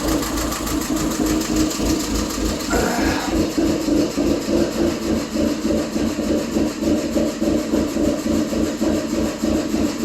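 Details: 2006/07 Subaru Impreza 2.5i: fine when cold, but the warm idle lopes with about three uneven surges a second as the cam advance valves open wide after warm-up; the cause was incorrect cam timing after timing belt work.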